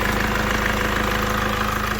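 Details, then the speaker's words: Mercedes W204 at idle after replacing alternator freewheel pulley and belt tensioner: steady, even idle, smooth low hum, no ticks, squeals or chirps from belt side; earlier roughness and steering-turn noise traced to defective alternator freewheel; normal idle. "So, so, alles läuft ruhig und Motor ruhig."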